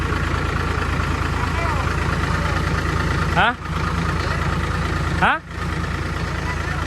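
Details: Diesel engine, weak on power with dirt-contaminated fuel, after new fuel filter and bleeding fuel lines: steady, even low rumble at idle with no knocks or misses; idling smoothly, fuel now flowing freely.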